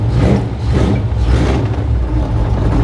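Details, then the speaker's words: 1955 Chevy Nomad, blown 350 V8, stored after hard use, 60 psi oil pressure, running a little rich: deep rumbly beat with uneven, stumbling pulse where beats drop out; a miss, cause not yet known. "Gentle. Gentle. Sounds like she's got a miss."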